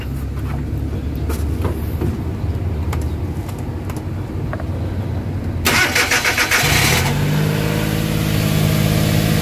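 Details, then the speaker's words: Suzuki K6A engine (DA63/DA64) after a general overhaul and reassembly with XADO engine treatment added: first start, cranks briefly, catches cleanly and settles to a steady, even idle with no knocks or misfires; normal start and idle. "Yun. So far okay na yung andar niya."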